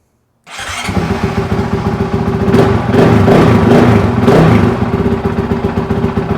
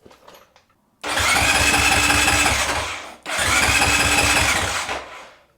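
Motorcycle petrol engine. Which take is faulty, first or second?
second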